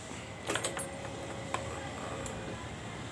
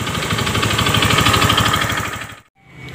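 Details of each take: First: Honda BeAT FI scooter after repair for rough klotok-kletek engine noise caused by a damaged connecting rod and scuffed piston, replaced with new rod and 0.50 oversize piston: quiet, then starts and settles into smooth idle with no knocking. Normal idle. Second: Honda BeAT FI scooter: rough fast metallic knocking about three per second over idle, then cuts off; worn connecting rod, engine split, connecting rod to be replaced.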